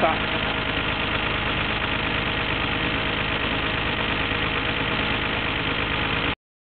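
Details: Nissan GT-R R33 (Skyline) six-cylinder petrol, 86,800 km, timing belt and water pump recently replaced, after warm-up: smooth even idle; the groaning noise heard about a minute after the first cold start of the day has gone.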